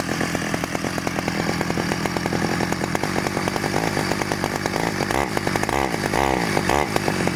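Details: 1991 Stihl 009L chainsaw starting after rebuild: crisp, regular two-stroke buzz holding steady and picking up cleanly on throttle; runs strong and healthy.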